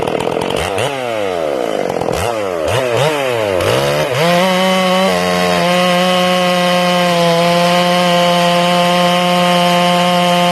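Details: Ported Stihl MS461 on first break-in cuts with the carb set a little rich: revs surge and drop unevenly with burbling break-up under load, then settle to a high steady scream. This four-stroking sound comes from the rich mixture and the RPM-limited coil.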